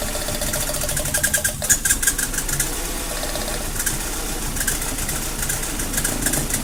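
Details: Mazda Protege (2000 or 2002) very rough idle under diagnosis: uneven, stumbling beat with irregular knocks over the engine note; cause not yet found.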